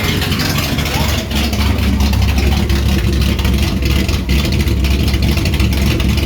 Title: 67 Charger 1st fire up after rebuild.